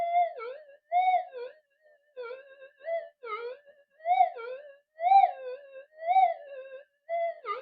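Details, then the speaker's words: Repaired, previously modified Minelab SD2100 metal detector on channel one, tested with a 0.1 target: warbling tone rising and falling as the target passes, responding properly despite tat-tat background noise. "to take this working quite good picking up a point one on the cancel with all that rather tat tat noise coming in"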